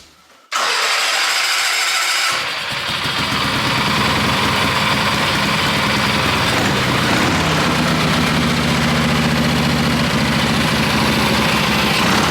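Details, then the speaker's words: Wheel Horse mud mower with a newly fitted Kohler Magnum 18 hp opposed twin, still needing tuning: short crank, then fires and holds an even idle of about four beats a second with no misses; healthy running. "he's already gone out and driven it around some and it idles up and down and the throttle works pretty good"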